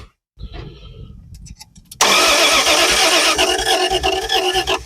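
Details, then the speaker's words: Project car starting after about 40 years of storage, float bowl freshly filled, spark confirmed, timing possibly a distributor tooth off: weak cranking pulses, then it catches and runs loud and ragged; engine starts. "it's starting"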